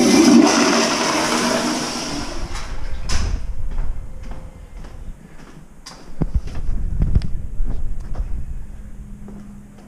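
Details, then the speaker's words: Movie theater toilet flushed after the sewer line was cleared of a grout clog with an electric snake: strong rushing flush that drains away quickly with no gurgling or backing up; line running freely. "she run pretty good yeah all right cool"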